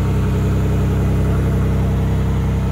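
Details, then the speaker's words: MG ZT 190 petrol engine at idle after sitting two years in a field in Scotland, low on fuel: steady, smooth idle with a low burble and a slight exhaust blow somewhere, but no inlet manifold rattle; healthy. "yeah well the good news is that that sounds great there's a bit of low in the exhaust somewhere but there's no Inlet manifold rattle that's lovely and smooth"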